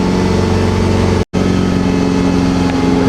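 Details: Neglected GSX car after charging problem fixed, started for testing with ABS and check engine lights still on: steady even idle hum with constant low drone, no knocks, squeals or misses apart from a brief dropout; charging now fine.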